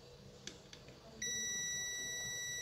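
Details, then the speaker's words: Samsung UA32EH4000 LED TV, dead with no standby light, testing power supply rectifier diodes: continuity beep holds steady both probe directions on diodes three and four; shorted rectifier diodes. "bunyi bip tunggu beberapa detik Apakah dia hilang nah ini tidak hilang berarti korselet dia udah keempat ya sama dia udah keempat juga corslet ya"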